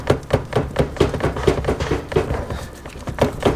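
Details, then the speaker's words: Renault Clio 172 with suspected broken gearbox, only first and second engage; mic placed underneath while shifting: uneven hollow thumps about one to one and a half per second, something slapping underneath, owner suspects a snapped selector, unconfirmed. "something is slapping underneath can you hear that something is definitely slapping underneath"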